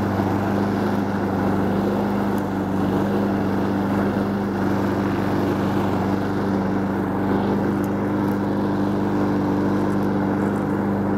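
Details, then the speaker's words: Honda Harmony 215 mower engine, warm, after a third carb cleaning; the low-end idle mixture screw broke and could not be cleaned. Holds a steady, even drone with no surging or misses, as if the carb feeds properly; normal running. "so if I win it, well, it'll go in stock for now. But that don't sound bad, does it?"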